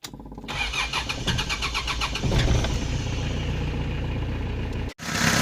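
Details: 4D56 diesel with added electric fuel pump wired to the fuel solenoid circuit (draws about 1.1-1.2 A): quick crank, catches cleanly, settles into steady even diesel clatter at idle; self-bleeding system works fine.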